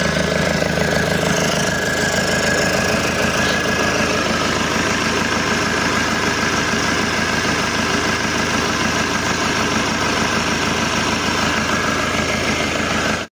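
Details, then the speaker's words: Isuzu Panther 2.5 diesel after overhaul with modified turbo and new hoses: steady, even idle clatter with no knocks, misses or hissing leaks; no turbo leaks, tuning still stock; normal idle. "kalau untuk suara ini masih kita standarkan nanti kalau udah naik di mesinnya baru kita setting semuanya"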